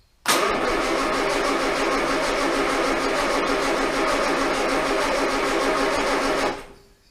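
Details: Armstrong Siddeley Star Sapphire-engined sprint special, unstarted in probably over 40 years, distributor being turned back the other way after a failed crank: about six seconds of steady cranking, roughly three turns a second, never catches.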